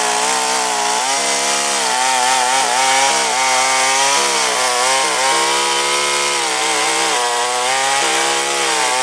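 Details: Craftsman 3.7 / Poulan 3700 saw, dated 1983, after a new carburetor and fuel line were fitted. A high, strong buzz dips slightly as the chain bites the wood and recovers cleanly. It pulls well and runs properly.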